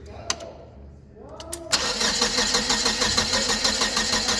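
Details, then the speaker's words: GM Vortec 2.4 engine in a Hyster S70FT forklift, complaint of not starting and misfiring: steady starter crank about three strokes a second never fires; no spark on the number one and four coil, likely failed coil. "okay so no spark whatsoever on that coil it's more likely than not because this is the same coil"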